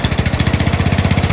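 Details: 2003 Murray riding mower running after its jammed starter was replaced: even, evenly spaced thumping at roughly fifteen beats a second with no misses or knocks, a healthy small mower engine.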